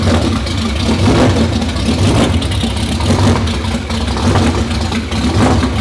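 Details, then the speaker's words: 2019 Roush Stage 3 Mustang V8, first start since blowing the engine: surges and hunts unevenly, staying lit only with throttle held; camshaft position sensor codes, seemingly circuit codes; cam position sensor fault, won't idle. "it's not quite running on its own i was having to give it a little bit of throttle to keep it running we have a couple of codes for cam shaft position sensors etc"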